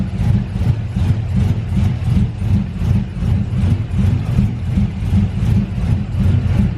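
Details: Big-cam GM 5.3 V8 in a truck, first start after swap: rough lumpy idle with uneven pulses two or three a second; the four DOD cylinders are not firing because the DOD valley connector was unplugged.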